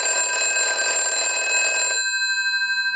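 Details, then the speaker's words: British desk telephone after repair and conversion, final checkout with new transmitter installed: bright, steady bell rings evenly for about two seconds, then stops cleanly; ringer works properly. "And we'll ring the unit now. It's got a very cool ring to it. We'll let that go a few times."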